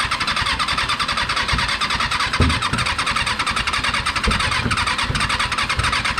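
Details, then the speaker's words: Freshly rebuilt Kawasaki 636 engine just installed in a car: uneven bursts of firing catch and fade over raspy cranking, never settling; hard start and misfiring, a little sputter, more throttle suggested. "feel like we need some to bottle action because when he when he goes over on those two it seems to do a little sputter yeah a few"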